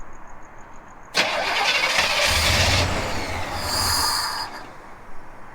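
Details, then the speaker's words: 1980 El Camino, first start after an MSD Atomic EFI swap: short starter burst, rough catch, then a busy idle around 800 rpm against a 750 target; owner suspects the lag to start comes from his throttle-opening adjustment. "If there's another thing where when I crank it over, it lags to start, but that could be that throttle opening that I've been messing with."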